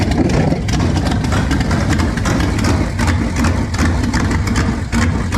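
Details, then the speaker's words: V8 test-running on a trusty 2-barrel carb swapped in for a used, rebuilt 4-barrel judged junk: loud, lumpy idle with uneven popping bursts; runs better than before, owner suspects the air-fuel mixture is off, not confirmed. "She ain't liking something. Keep blowing fire out. I think I need to get this air fuel mixture right"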